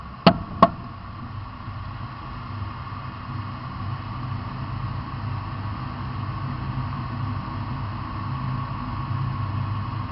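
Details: Two sharp pops about a third of a second apart, then a low steady engine rumble; popping noise, cause unclear.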